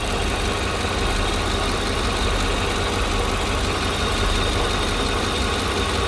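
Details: Engine after removing the noisy vacuum pump (which sounded like lifters), brake booster teed to intake and catch can to PCV valve: steady even idle, smooth low rumble, no tapping or knock.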